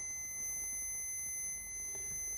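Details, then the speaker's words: NiteCore New14 Intellicharger repair, multimeter diode mode from AC side through bridge rectifier: steady unbroken high-pitched continuity beep, positive side reads short, other way open; shorted bridge rectifier diode. "So that is the positive down there, short. That's open."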